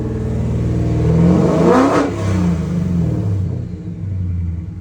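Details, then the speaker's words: 1973 Ford F100 XLT Ranger with a Gen 3 Coyote V8 swap, custom headers and Borla exhaust: deep burble climbs smoothly on a quick blip, then falls back to an even rumbling idle; healthy, no ticks or knocks. "and it sounds absolutely fantastic with those custom headers and borla exhaust on it"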